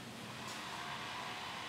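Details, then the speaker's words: Asus X441-series laptop: steady airy rush with thin hum near 1 kHz, cooling fan loud from power-on; suspected worn-out fan needing replacement, not confirmed. "have you ever had or encountered a laptop or notebook whose cooling fan is noisy from the moment you turn it on like the one I'm having here right now"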